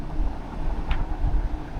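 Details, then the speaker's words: Hisense portable window air conditioner on high fan, room 72°F set to 68°F, at its maximum loudness; steady low rushing hum, no rattle, tick or scrape; normal operation. "the firmness on high. So, I would say this is as loud as it gets the maximum loudness."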